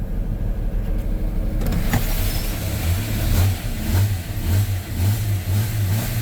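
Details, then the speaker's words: Jeep Comanche that sat two years, first start after finding the distributor timing was wrong: engine catches and revs up and down cleanly without popping; normal start and revving. "Yes. Oh my goodness. It was Oh, the distributor. Yes, it was wrong this whole time."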